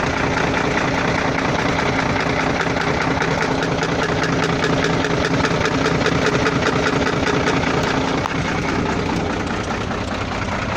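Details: Volvo FL6 diesel at idle: loud idle with a steady rapping about two or three a second, floating intermittent knock of unknown origin.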